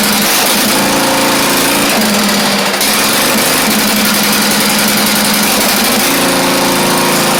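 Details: Craftsman YT4000 riding mower engine, first run, fuel freshness doubted: single-cylinder buzz with a dip and sag in speed partway; carburettor said to be not really good, rough running.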